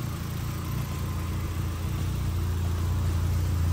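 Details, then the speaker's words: VW MK1 with a 1.8T swap (drive-by-wire, new harness and ECU), just started: steady, even low rumble with no knocks or misses, idle holding smooth throughout; the engine runs fine after the swap. "go ahead and start her up there we go cars running Gucci guys finally it's here it's done"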